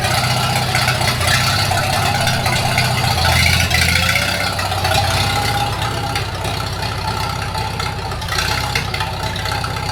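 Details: 1942 Farmall H tractor, hand-crank started in the garage after transmission teardown and repair of a scraping/screeching noise and hard reverse shifting, carburetor not yet adjusted: even, steady four-cylinder beat with low rumble, no knocks or misses; normal running.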